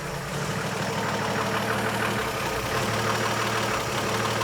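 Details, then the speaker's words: Old Chevy truck after an HEI distributor swap, roadside breakdown and oil-pressure scare: fast idle around 1100 rpm with an irregular stumble every few firings. Misfire at idle, cause unknown. It is also not charging at idle; the owner wonders if low voltage is to blame. "That's way too high of an idle, but let's see if it drops out. It's still doing it on my gauge."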